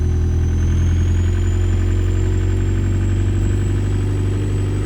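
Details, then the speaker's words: Audi A4 converted from 2.0 TFSI to a 1.9 ALH m-TDI diesel, turbo not connected, oil pressure light on (owner suspects a wiring error): even, steady low diesel rumble with no knocks, ticks or misses; idling normally. "That's giving me oil pressure light. Everything still sounds fine, so maybe I wired something incorrectly."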